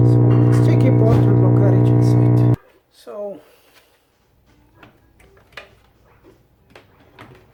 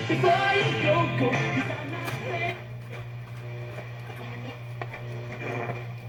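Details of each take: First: Vintage 1965 General Electric tube FM radio: loud steady low hum under the audio output, stopping when unplugged; owner suspects bad capacitors, not confirmed. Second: 1965 General Electric tube FM radio after repair (capacitors checked), the earlier very loud noise gone: music comes through full and steady with clean low end and no hum, crackle or dropouts; it plays properly.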